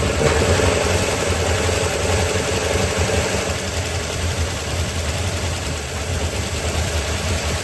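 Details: 1972 Chevy C10 small-block V8, start after rescue with a better starter fitted: lumpy idle with a shaky low rumble and irregular pulses. Runs but unhappy; owner suspects ignition timing is off.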